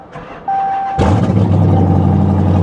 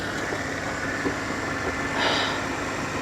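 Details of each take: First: Pontiac G8 GT V8 at salvage auction, worn remote-start key, tuned, exhaust cut off: starter whirs, V8 catches with a sharp bark and settles into a deep, very loud idle with raw fuel smell; loud exhaust from removed exhaust system. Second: Pontiac G8 GT V8 at idle, hood open: soft, steady idle with an even rhythm and no knocks or misses; normal healthy V8 idle.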